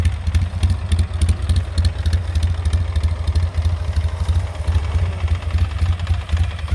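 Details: 2003 Polaris Sportsman 600 Twin ATV engine at idle with a loud, heavy, uneven knock of about three beats a second; owner asks whether this knocking is normal.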